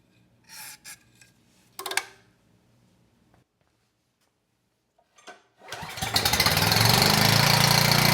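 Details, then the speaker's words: Abandoned Powermate generator started on starting fluid: after a few clunks the small engine catches and settles into a steady, even run producing power, with no knocks. It smoked at first, and the carburetor likely needs cleaning. "all right we got power and the engine sounds good"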